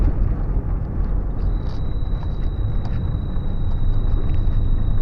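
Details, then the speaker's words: 2001 Ford Super Duty 4x4, recently off farm use, driving on the road: a thin, steady high whistle over the road rumble holds constant; heater blower fan acting up. "That's the heater fan just deciding to be unhappy."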